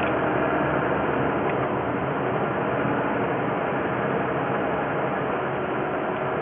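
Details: Toyota 2GR-FE, recording filtered to match what is heard in the cabin: faint, loosely regular light knocking about three per second over a steady hum. It began after the dealer used 5W20 instead of 5W30, but that is unproven. Engine knock.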